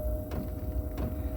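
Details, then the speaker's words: 8 kW Chinese diesel air heater starting on battery via module, glow plug heating and drawing about 5.5 A; two sharp ticks about two-thirds of a second apart over a steady hum as the dosing pump kicks in normally. "But at the moment it's 5.5. Pump's just kicked in, as you can hear."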